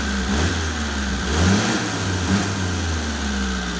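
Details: Mitsubishi Colt T120 SS fuel-injected engine after the dead spark plug was replaced: revs up and back smoothly with an even, unbroken beat and no stumble or miss, all cylinders firing properly.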